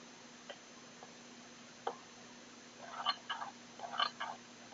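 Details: Xiaomi Mi Drone transmitter's right stick gives faint scattered clicks and short squeaky creaks as it moves; scratchy stick mechanism, cause unknown.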